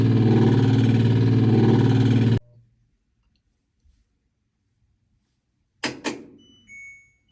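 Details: LG top-load washer: the motor grinds and throbs about four times a second, cuts out, then clunks and beeps once, from a failed Hall sensor (ends in LE error code, fuse burned), which the owner blames on a very light load.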